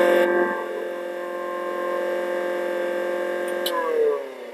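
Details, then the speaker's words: Chinese EK43s espresso grinder running with a steady, clean hum, no rattle, then a smooth spin-down; normal grinder motor run. "Much more powerful motor, hence therefore the sound is slightly louder, and then the vibration tends to be a little bit, there'll be more vibration."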